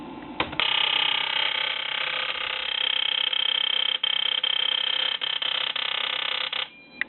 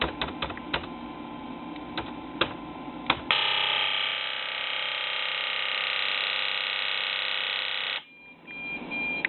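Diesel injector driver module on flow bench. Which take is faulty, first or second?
first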